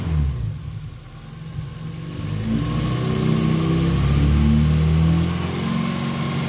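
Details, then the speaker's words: After cleaning and flow-testing the fuel injectors, the car that had run lean with a spike around 3,000 rpm since its first tune rises smoothly from idle to a held rev and settles back cleanly; normal revving, she's back. "that's hard sound amazing she's back"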